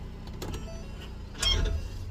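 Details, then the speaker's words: 2020-2022 Ford Explorer police vehicle, rear, pulling away after shifting park to drive; single sharp metallic ting with dull thump amid suspension grunting, rear CV axle splines binding then letting go; fix planned without replacing CV axles. "there was a pop show you real quick there was there was nice ting there it was again nice little tap another tap"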